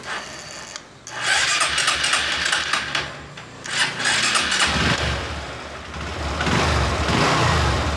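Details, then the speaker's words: Honda Verza motorcycle that sometimes dies: starter cranks slowly and unevenly, about four strokes a second, sagging and recovering; weak starter cranking, suspected weak battery or loose terminal, not confirmed; charging to be checked for 13–14 V. "Oke, ini indikasi seperti aki lemah ataupun ada yang kendor ya."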